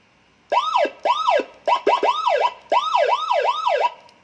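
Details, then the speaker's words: Sirino siren module on 12 V battery supply driving a speaker, serviced for a broken crackling sound, tested at low volume: clean, repeating rising-and-falling wail in steady bursts with no crackle or distortion; siren now sounds normal. "Jadi kita coba pakai volume sedikit. Nah, kita tes dulu. Nah, ternyata suaranya normal."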